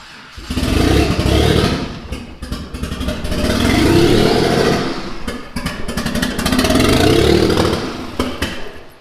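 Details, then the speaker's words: Mitsubishi 3000GT VR4, twin-turbo 6G72 V6, new engine first start: catches and surges in uneven swells, ragged firing, never holds idle; owner says timing way out and suspects something unplugged. "It should at least idle long enough for me to get over here and mess with that. Something's not right."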